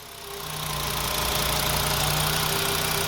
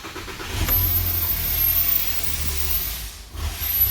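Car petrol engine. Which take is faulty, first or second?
second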